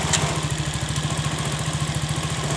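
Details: Three-wheeler (Treseda/Kaisar) that would not move in gear, after replacing the clutch linings, engine started and put in first gear; even steady single-cylinder thump with no knocks or slipping; now running normally in gear.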